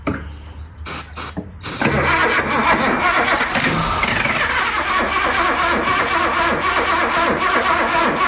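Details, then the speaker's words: Barn-find Datsun 240Z, sitting over 30 years, fed starting fluid into the carburetors: the starter clicks, then it cranks and pops with uneven sputtering. Spark is present but no fuel reaches the carbs because the fuel filter is not hooked up, causing fuel starvation. "So really, we just need fuel. Well, it does pop off. So that means we're getting spark. All it needs is fuel."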